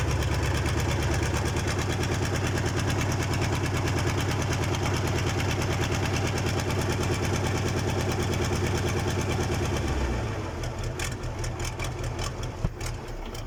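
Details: KAMAZ diesel engine's first start after a major overhaul: even, steady clatter at idle for about ten seconds, then a smooth wind-down at shutoff; a healthy-running engine.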